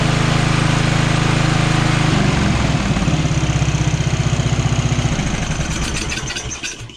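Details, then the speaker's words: Free Craftsman riding mower, small single-cylinder engine, after replacing a flooding carburetor and minor air-fuel adjustment, air filter and box not yet fitted: runs steady and even, then winds down to a stop; running good with a hint of surging left to tune. "But you guys can hear it's running good now, and just a little tweaking, we'll have that surging figured out."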